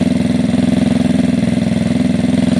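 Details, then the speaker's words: Gilera DNA 125 after carburetor upgrade to a metal-slide carb, idle being tuned before air-fuel screw adjustment: quick, evenly spaced exhaust pulses at a stable idle with no stumbles or hunting; much smoother idle. "but this seems much smoother already"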